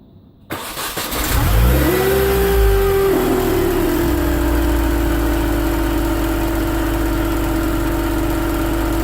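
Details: BMW Mini Cooper R53 with refitted supercharger: after startup a steady whirring wurr over the idle, constant for 12 months; cause was a collapsed oil tube from rocker cover to supercharger.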